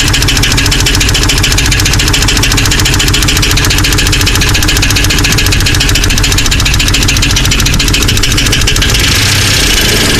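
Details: Jeep 4.0 with all lifters and pushrods replaced, rockers and pushrods all moving, still ticking: sharp, fast, even top-end tick louder than the engine, louder at higher rpm; valvetrain ticking, source unclear.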